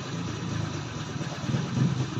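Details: Easy Ride 150N motorcycle after a hard-starting fix, the spark plug electrode tapped closer because the gap was too wide: it now starts and putters steadily at idle without misses or rattles; normal idle.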